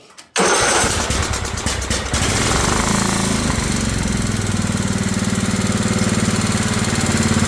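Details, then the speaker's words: Old Craftsman riding mower with brand-new carburetor, fuel filter and air filter, started on a shot of starting fluid: after a few cranking turns it settles into a steady, fast, buzzy idle that runs too high. Idle to be adjusted at the carb. "Well, that was uh easy enough. It's idling pretty high."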